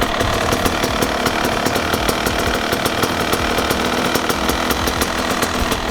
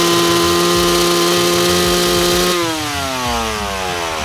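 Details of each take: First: Two-stroke dirt bike carburettor setup: air screw opened too far, giving a fast, crackly idle that revs freely and climbs; the mixture is too lean (too much air), to be turned back for proper idle. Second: Two-stroke bike with the main jet set correctly, slightly safe for longer races: crisp, steady high-rev scream that holds clean, then falls away smoothly with no bogging or spluttering; normal rev with correct jetting.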